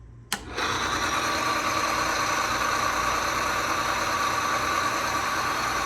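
A sharp click, then a steady dense mechanical whir with a high ringing tone holding even throughout; rig running smoothly after start-up.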